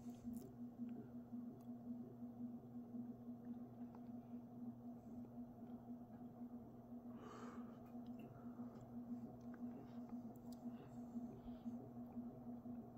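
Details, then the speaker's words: Mid-to-late-1980s 56-inch industrial ceiling fan with cast iron motor on a 5-speed coil choke control at medium-low: steady 60-cycle mains buzz and occasional soft clunk, owner suspects loose motor shell; otherwise smooth running. "so kind of thinking that it's not as tight as it should be which it's no big of no big deal but it does make that clunking sound and creates that 60 Cycle Buzz but despite that very smooth running fan"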